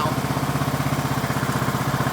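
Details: 2003 Craftsman LT2000 riding mower, 18.5 hp Briggs & Stratton Intek, restarted without choke with sludge in the crankcase: steady single-cylinder thumping, about twelve beats a second, even with no misses until shut-off; healthy idle.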